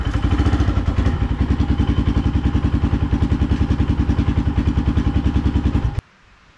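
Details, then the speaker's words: 2005 Polaris Predator 500 quad, first test ride after engine rebuild with plastics loosely fitted: firm, even single-cylinder thumping about three and a half beats a second, steady and clean; clutch and all five gears plus reverse work, rebuilt engine runs healthy. "first test drop I don't know what else to say it's got five gears brakes work uh front brakes kind of suck back brakes really good clutch works all five gears reverse"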